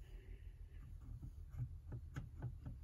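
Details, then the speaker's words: 1960s Electra TC-505 reel-to-reel: faint thumps about four per second over the motor hum, from a small notch (flat spot) in the rubber idler wheel bumping as it turns. The rubber is still soft and might be sanded smooth. "hear it bumping on the motor but not too shabby we might be able to sand that down"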